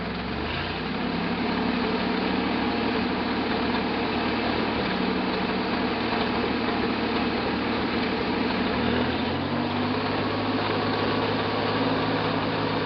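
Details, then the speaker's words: 1968 Jeepster Commando with Buick V6, after checking spark: idles smoothly but with a misfire stumble and a faint mechanical clatter; back cylinder suspected, cause of mechanical noise unknown. "It definitely still has a misfire. But it also sounds like there's some kind of mechanical damage going on. It idles really smooth though."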